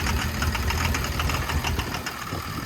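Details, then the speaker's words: Construction machine diesel idling, hunting and stumbling with knocky clatter; fuel rail pressure relief valve not sealing, bleeding pressure back into the fuel system through the leak-off, after earlier failed repairs by others. "yeah so if you can imagine this is like a relief valve um if there's two if the if the if the pressure or this isn't sealed properly then that's the Escape Route for the built up pressure goes into here back into the fuel system"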